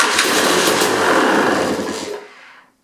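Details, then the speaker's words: KTM XC/XCW dirt bike in neutral with choke on, after KTM bendix gear set fix for slow cranking: fires on the button and runs evenly a few seconds before shutoff; normal start, massive improvement. "Let's hit the starter, see what happens. Okay, that was a massive improvement."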